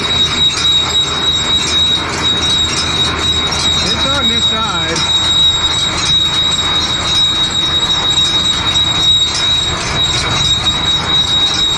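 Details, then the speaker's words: John Deere baler hooked to a tractor: thin, steady high squeal over the running baler, thought to come from a drive chain; it went away briefly but returned, and oil was added; cause not confirmed. "a little squealing though but it went away already"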